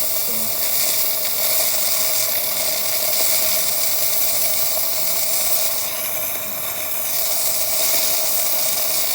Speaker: what don't steam run for a bit he just needs to build up first take about ten seconds